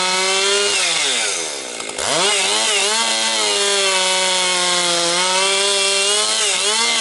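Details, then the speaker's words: Husqvarna 262XP two-stroke chainsaw after rebuild, breaking in with compression up: high scream dips briefly as the chain bites into low-grade pine, then pulls back to full, steady revs. Cuts strongly. "It's running really strong now. Now she's breaking in, it's really picking up power."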